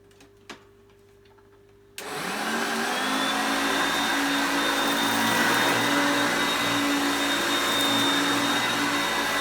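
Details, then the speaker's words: Vintage Hoover Concept upright vacuum, self-propelled drive engaged and moved back and forth: the motor whine pitch steps up and down as the drive gears change; normal self-propelled operation, still picking up well. "so the one thing I noticed is that when you put it on the drive for the self-propelled you will hear the motor pitch change as the gears change to me moving it back and forth as you can see there but it's still picking up really well"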